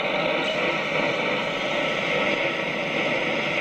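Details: 1944 wartime civilian valve radio after changing all valves, brought up to mains voltage: steady hiss with faint station sound, no crackle, hum or dropouts; receiving normally.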